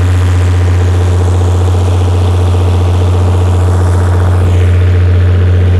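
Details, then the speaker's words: Perkins six-cylinder diesel generator after injector recalibration, new fuel filters and injection pump cleaning, under about 45 kW load at 60 Hz: deep steady drone, no misses, knocks or sag; governor issues remain. Normal running under load. "okay so that right there proves we've got enough horsepower to maintain 60 hertz at 45 kilowatt"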